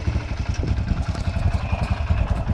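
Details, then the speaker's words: Yamaha TT-R125 dirt bike after about 10 years sitting in a barn: uneven low-rev single-cylinder thumping that stumbles and fades as if about to stall, won't hold idle; bad old fuel suspected. "Oh my goodness. Doesn't want to idle. Doesn't want to, but probably got all kinds of bad fuel in there."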